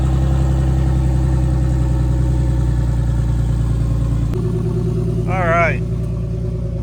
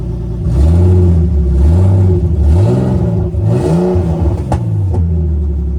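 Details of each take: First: Big-turbo BMW E46 on a new tune, open downpipe with no exhaust; steady, even low idle with smooth regular firing and no knocks, misses or hunting, sounding healthy. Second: Big-turbo BMW E46 on a new tune, warm, open downpipe with no exhaust; engine revs up and down repeatedly with a loose rattling buzz on top because the wastegate is held on but not tightened, making unnecessary noise.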